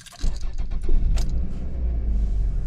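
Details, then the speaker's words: 2001 Toyota RAV4 2.0L four-cylinder with a blinking check-engine light and no acceleration. After the coil was swapped from cylinder 3 to cylinder 2, the engine cranks into an uneven, lumpy idle and the misfire follows the coil: a faulty coil pack. "okay now let's see if it starts misfiring on number two and it does check that out right there so that means that we got a really bad coil pack"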